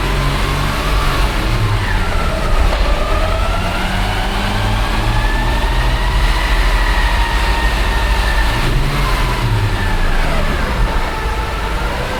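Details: Nissan ER34 Skyline GTT manual transmission, about 3,000 km after replacement from Nissan: steady high whine over road rumble, rising and falling with road speed like a straight-cut gear; mechanic diagnosed excessive transmission bearing wear, clutch release bearing fine.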